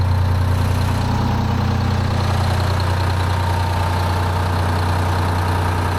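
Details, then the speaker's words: Detroit 12V71 two-stroke V12 diesel in a 1975 Peterbilt 359, restarted after sitting about 15 minutes to check fuel prime (right bank had run cold): a deep, even drone with no stumble, slight slobber, no blowby. Idling smoothly. "no stumble I was waiting for that like out of fuel stumble Bo that's running nice just got Touch of slobber I ain't mad at that"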